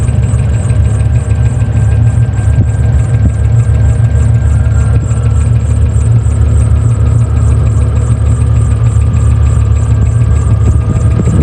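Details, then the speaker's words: V8 from an LS swap, idling at first start after swapping a damaged intake: loud rough idle with thin squeal and fast light tick about three per second. Squeaking is definitely the belt; tapping still to be chased after adding coolant. "The squeaking is definitely the belt."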